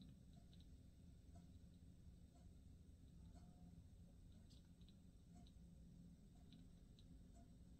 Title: KEF LS 60 crackling noise